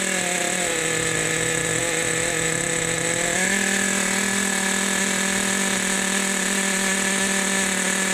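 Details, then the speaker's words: Team Associated NTC3 (2002) nitro RC car on first start after a rebuild, idle backed off: a high, buzzy two-stroke idle that steps up slightly then holds steady, running fat/rich but settling; normal rich idle. "nice listen to that idle boys fat we got it fat we got it fat"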